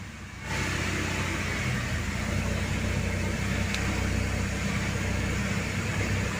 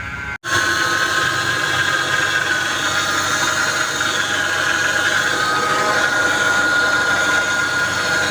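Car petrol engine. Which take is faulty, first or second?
second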